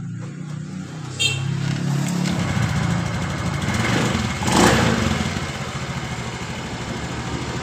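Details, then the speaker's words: 2015 Honda Beat Pop scooter after replacing variator, roller housing, rollers and rear pulley bearing: idles and revs cleanly, pitch rising and falling with throttle, the earlier rough knocking noise gone. "Ini tiba-tiba langsung motor ini langsung suara halus seperti ini"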